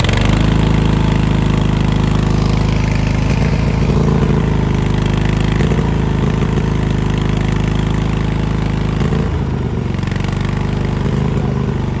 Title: Misfiring Cub Cadet LT1046